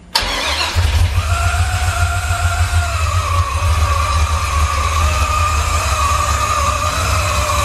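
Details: Newly installed 550 hp LS crate engine in a 1999–2004 Mustang drift car, replacing junkyard engines with low oil pressure, first start: starter whirr, quick catch, then a steady even V8 idle without misses. Healthy start and idle.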